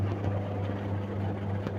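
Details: Samsung top-loading washing machine unused about a year, damaged modules removed, motor powered directly: even, low, steady hum with no knocks or scraping; motor runs smoothly.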